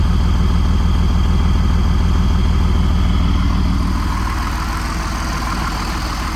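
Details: Freightliner diesel pusher RV, fired right up with good oil pressure: heavy, even low diesel rumble at a steady idle with no misses or knocks; healthy warm idle heard from the exhaust.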